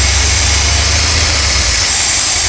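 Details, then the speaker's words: Cold idle of an RV engine after new ignition module, ballast resistor and a working choke pull-off, formerly stalling when stopped: even low rumble under steady hiss, no misses or surging; owners say it never ran this well. "Oh yeah? Working fine now. Never ran that good. That thing can fucking run all of it. I've never heard it run like this."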